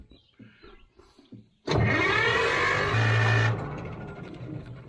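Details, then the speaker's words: Old Caterpillar D6 dozer diesel cranking after batteries put back in: starter spins it briskly and steadily with a strong even whir for about two seconds; normal cranking. "all right here we go see if it spins a lot better with these batteries"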